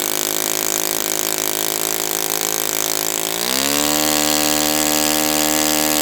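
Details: Brand-new Saito FA-100T twin, final break-in run, restarted still warm without priming or choke; smooth even buzz climbs cleanly to a higher steady speed and holds. Normal running, called spectacular.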